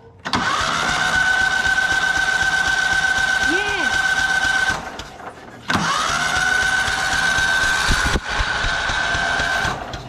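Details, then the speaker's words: Old Cub Cadet riding mower, sat abandoned for years in a barn, on a jump box, first crank attempt: steady whirring crank with rising starter whine, two attempts, engine turns over freely with no binding or clunks. "that is awesome it actually turns over"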